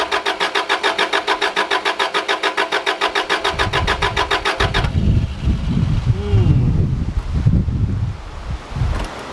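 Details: Subaru Liberty RS AWD turbo manual, parked 10 years with dirt and mouse nests, fresh fuel, fuel pump heard priming: steady starter cranking at about three and a half turns a second that never catches; crank-no-start, owner suspects fuel delivery, unconfirmed.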